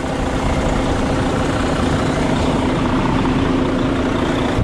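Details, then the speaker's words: 2020 Volvo VNL 760 semi truck, wrecked and rebuilt, first start in about two years after sitting, new batteries, exhaust smoking a little at start: steady, even low diesel rumble, no knocks or misses; normal idle. "sounds good sounds good"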